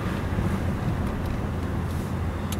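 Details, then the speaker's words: Road test after replacing failed cheap wheel bearings: steady low road rumble at cruising speed, no whine, growl or hum rising with speed; sounds better than before, normal wheel bearing. "so oh got a green light so I don't know if I got any better ones this time like I say but uh she sounds better anyways s"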